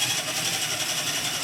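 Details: RC4WD TrailFinder 2 RC truck with newly fitted speed controller and brushed motor: steady high-pitched electric whine with no grinding or ticking, even under light throttle; normal healthy motor run.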